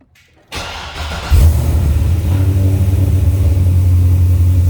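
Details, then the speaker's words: Chevrolet Corvette C6 Z06 with Akrapovic catback and recently fitted headers, cold start after sitting a few days: loud, uneven, lumpy idle that chops and stumbles at times like a miss; owner unsure, maybe a bad spark plug or plug wire. "i don't know sounds like the car's missing or something i don't know it kind of chops around sometimes maybe a bad spark plug mad wire who knows"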